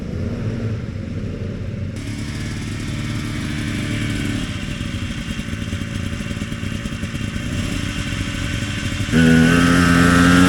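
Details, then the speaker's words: Vintage Polaris XLT triple two-stroke snowmobile, high mileage last season, after sitting all summer: choppy running at three to four pulses a second, revs climb unevenly and hesitate when throttled; a bog, common on XLTs. "all right so the grape Apes got a bog that'll happen that'll happen to a lot of different sleds but uh xlts in particular are you know pretty well known for that"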